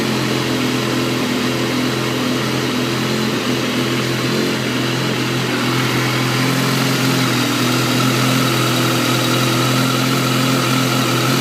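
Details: Stock 2012 S1000RR: a busy four-cylinder idle with an uneven, slightly lumpy beat instead of a smooth hum. Rough idle.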